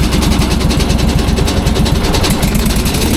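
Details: Leaf loader small engine, fresh 10W-40 oil, fuel pump working well, run without the battery pack: steady, loud low-pitched chugging at an even beat with no knocks or misses; running normally.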